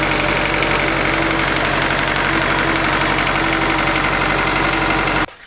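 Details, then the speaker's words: Honda Del Sol with turbocharged D16 engine and full exhaust off the turbo, first start-up after build: fast light ticking over a busy idle, then engine cuts off; owner suspects it may need a valve adjustment, likely typical as metal warms up. "It sounds like it might need a valve adjustment. Um I'm sure it's probably pretty typical, especially once the metal parts start getting warmed up and stuff."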